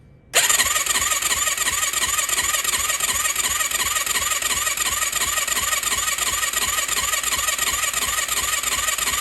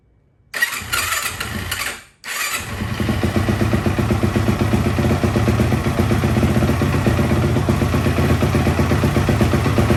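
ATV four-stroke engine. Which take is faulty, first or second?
first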